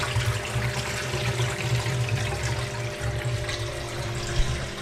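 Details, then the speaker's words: Samsung WW7708N6W1 washing machine (2009) after drain pump replacement: steady low pump hum under rushing water as the tub drains smoothly. Normal drain pump operation. "it's draining properly."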